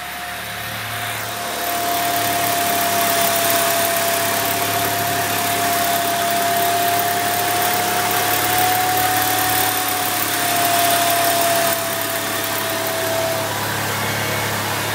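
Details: Saab 9-3 Aero petrol engine at idle: steady mid-pitched whine of nearly constant pitch. The owner suspects the turbo; cause unconfirmed.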